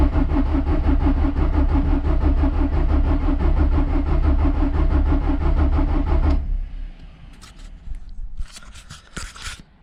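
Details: Volkswagen Polo TDI after a repair attempt: starter turns the engine at a steady three beats a second for six seconds without firing, then stops. Crank no start; owner next plans to unplug the injector connector, crank, then reconnect.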